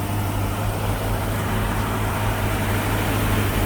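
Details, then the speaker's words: 1965 Mustang V8 on 650 CFM Street Avenger carb, just restarted after a year, still warming up: steady, even raised idle with no misses; fast idle from warm-up, possibly a faulty electronic choke (suspected, not confirmed). "Now it's going to be a little bit higher idle because we're still letting it warm up."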